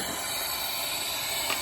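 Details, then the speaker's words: Toyota Tundra leak-down test on cylinder 3, piston at top dead center on compression stroke: steady high hiss of escaping air, soap shows the leak bypassing the valve seat. Valve leak-down air hiss. "we have a leak and i sprayed soap down there so we can see what's going on and you can see how it's just it's bypassing the seat by passing the seat"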